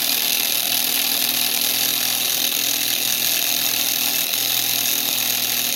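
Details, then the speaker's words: Tiny hobby kit motor rated for 1.5 V driven at 32 V drawing about 1.8–2 A: high thin whine with fizzy brush hiss, speeding up as it visibly burns; overvolted motor burning out. "Oh, you can see it's burning. Oh, you see it? Look at that. Oh, dude, it's getting faster."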